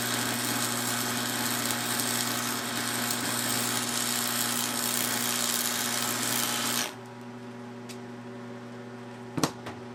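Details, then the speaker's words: Restored Montgomery Wards Powr Kraft 240 V, 230 A stick welder (1982 date code) with a 6011 5/32 rod. A steady crackling arc hiss over a low mains hum for about seven seconds; the arc burns smooth, even and stable. "She's welding nice. She's making some vibrating sound just because she's on this metal plate here."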